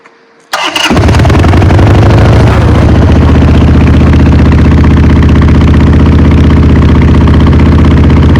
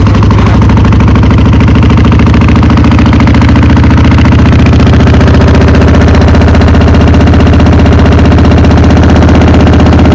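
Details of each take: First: Motorcycle, not run for a few years, started cold on choke with a working accelerator pump: loud, steady, lumpy twin-cylinder idle that runs a bit rough but healthy. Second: V-twin motorcycle not run for a few years, cold-started on choke: loud, lumpy beat at about three to four pulses a second with an uneven rhythm; running a little rough, owner expects it to clear.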